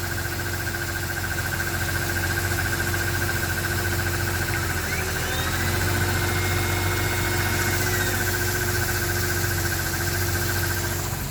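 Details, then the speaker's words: 1997 Mercedes-Benz W210 E420 at idle, about 62°F, A/C just switched on; rapid uneven clacking, three to four a second, over steady idle, stops when A/C is off: A/C compressor clacking. "This is with the AC off. We're going to turn it on. You hear a clacking noise."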